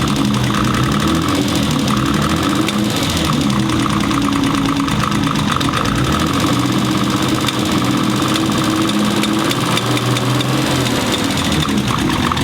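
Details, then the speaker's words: Built turbocharged BMW M20B25 starting right up to a steady idle with a sharp, repeated clicking or knocking; it felt like something hit. Owner suspects internal knock, cause not confirmed. Engine knock at idle. "so it starts right up which is great but you can hear the clicking it's terrifying that definitely felt like something hit"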